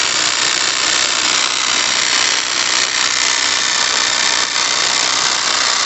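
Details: Heavily used demolition hammer (rompedor) brought in by a customer, before disassembly: a harsh, buzzy rattle over rapid, uneven beating. Something inside sounds rough, but the exact cause is unclear.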